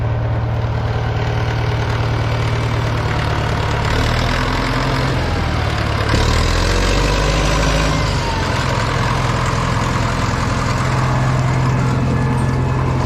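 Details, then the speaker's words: Caterpillar 955L track loader that sat unused for many years: the diesel fires up and settles into a deep, even rumble with steady rhythm and no knocks. It starts and idles healthy. "well I was rather surprised how uh well it started up"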